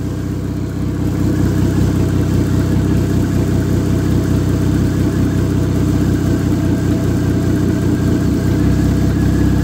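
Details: Ex-race Neon four-cylinder on a floor test stand: even, steady running with a smooth low drone and no tapping or knocking; good oil pressure, a healthy engine.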